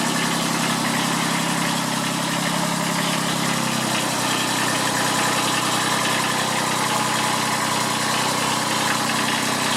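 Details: Kubota B7001 diesel tractor, about 10 °C, just started after two months unused and a hard cold start, in neutral: steady even idle clatter, pitch settling slightly after a few seconds; normal diesel idle.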